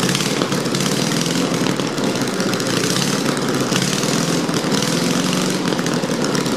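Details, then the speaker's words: 1776cc air-cooled VW engine, sitting 20 years, cold-started on the ground with open exhaust after cleaned carbs, adjusted valves and other repairs; a loud raspy steady run with no knocks or clanks; normal running, may need carburetor tuning. "well I know she runs sounds like she runs pretty good as far as the Integrity goes there's no knocks no clanks no weird noises it probably needs some carburetor"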